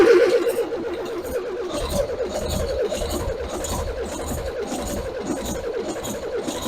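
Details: Old diesel engine started for the first time in at least two decades, just after fuel bleeding and fuel pump fitting: slow, uneven starter chugging at about four beats a second with no firing while fuel is still coming up.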